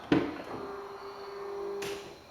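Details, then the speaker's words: Yukon/Tahoe power running board after installing a new step motor to cure the barking-seal noise from stripped plastic gearbox gears: door click, then a smooth, steady motor hum ending in a soft stop; no barking, normal operation. "So far so good. Let's see if it goes back up."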